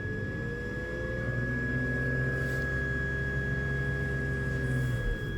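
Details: BMW X5 E53 3.0 petrol, warm engine at idle: thin steady high whistle over smooth idle, intermittent, often disappears with slight revs; belts already replaced, cause not found.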